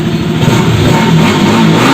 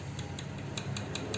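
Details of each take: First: Bajaj RS200 after valve tappet adjustment and air filter replacement: idles evenly, then revs up and settles back smoothly with no knock or tappet tick over the exhaust note; healthy. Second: Bajaj RS200 with the engine off, valve cover removed and the rocker rocked by hand: light sharp metallic ticks, about five in a second and a half, indicating tappet noise from excess valve clearance that needs adjustment.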